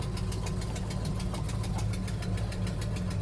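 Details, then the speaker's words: 1971 Plymouth Hemi Cuda idling roughly with a sharp regular ticking puff about twice per second over the rumble; warped exhaust manifold needs machining flat, exhaust manifold leak. "I think we maybe go over this way more yeah it sounds ter terrible"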